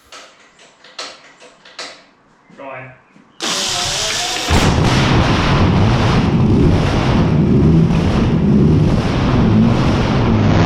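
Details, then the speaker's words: WW2-era Meteor V12 tank engine started for the first time with new magnetos and fuel pumps: a few clicks, then it catches at once into a loud, rough, steady roar that holds evenly; normal running. "the engine fires up which will demonstrate for you now that it is a runner and it makes absolutely stunning noises you can feel the thing start up"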